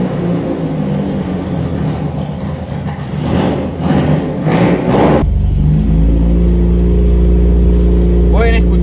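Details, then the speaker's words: VW Gol G1 project car on a cold engine: starts first try, a few short revs, then a deep, rough-edged, slightly odd idle; very loud exhaust, probably only a single muffler chamber. "Y es un escape que suena fuertísimo, debe tener apenas una cámara nomás."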